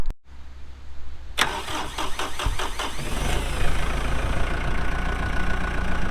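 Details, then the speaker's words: 2014 Kubota M8560 2WD tractor, 1,376 hours, diesel: starter cranks briefly, engine catches and settles into a steady even low idle with no knocks or misses; healthy start. "We'll get that hood shut. We'll fire it up and get right into an operational video."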